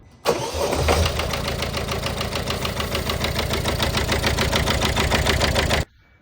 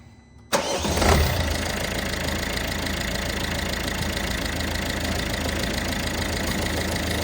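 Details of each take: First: Citroen Dispatch 1.5 DV5 diesel at idle: fast rattly ticking from the top end, about three or four per second, worse from cold; worn cam-to-cam timing chain. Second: Citroen Dispatch 1.5 DV5 diesel, first start after an 8 mm camshaft chain upgrade and cylinder head repair for a noisy top end: it cranks and catches in under a second, then settles into a steady, even idle with no knocks or rattles, normal.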